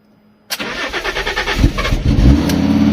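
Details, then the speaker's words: Water-damaged Fiat Stilo Abarth after new NGK BKR6EZ spark plugs and coils refitted: brief crank then prompt start to fairly steady idle; engine fault still present, suspected throttle body, ticking sound noted. "So that's much better. Still engine fault, probably because of the throttle body."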